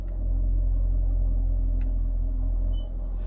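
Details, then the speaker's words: 2016 Camaro SS at idle: deep steady rumble, then a brief faint squeak as the active exhaust butterfly valve closes for quiet mode and the note drops quieter. "so if we put it in quiet mode you hear the little squeak that's the valve the butterflying the exhaust closing and it got quieter"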